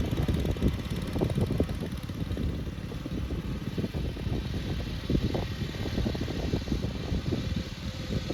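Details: 1962 Bolens Ride-a-matic garden tractor on an outdoor drive after repairs: small engine pulls along with revs rising and easing off, clean without misfires, popping or knocks; runs very well at different rev levels.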